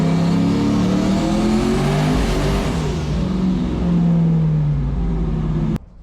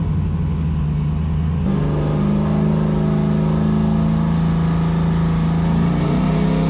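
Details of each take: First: Foxbody Mustang making about 1000 hp, pulling at high rpm under boost: the note sags and surges unevenly, as if cutting out and coming back, then stops. Severe misfire; logs and under-hood checks show nothing wrong. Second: Foxbody Mustang on E85, on dyno after repairs, small dome pressure: starts nicely, steady idle then smooth even climb to high revs and clean drop back; pulls strongly, healthy.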